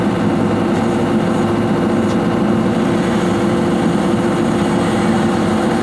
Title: Swing Device Abnormal sound #swing #device #abnormal #sound #hydraulic #excavator #damage #checking